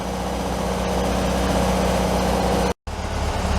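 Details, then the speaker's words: 1967 VW Beetle flat-four warmed up after new cap, rotor and plug wires: even, steady chuffing idle with no misses; runs well dialed in, though carburetor was loose on its intake base gasket. "right I'm pretty sure you guys can hear that I think we got Ruby pretty well dialed"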